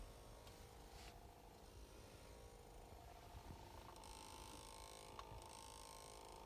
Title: 2019 Ford Escape humming noise when shut off.